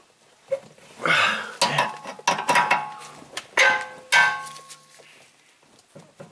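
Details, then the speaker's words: 2006 BMW 325Ci during a DIY string toe-in alignment: a seized tie rod end being forced to turn with a pipe wrench and adjustable wrench gives short bursts of metallic creaking and grinding as it breaks loose. "So again, the hard part about these alignments is making sure your inner and outer tie rod ends turn. Here's what a seized one sounds like."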